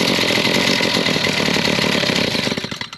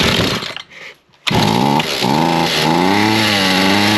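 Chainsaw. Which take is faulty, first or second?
first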